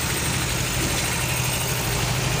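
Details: Yamaha Fino scooter after repairing a burnt charging wire and replacing a weak spark plug: an even, steady idle with no misses or surging. The 46-blink indicator code has cleared and it is running normally.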